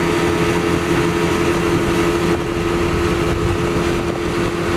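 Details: 115hp Mercury outboard on a Back Country 171 Pro Guide boat, running after oversized, leaking fuel hoses were replaced with correctly sized ones. Steady, even drone with a constant low tone and no misses or knocks: normal running.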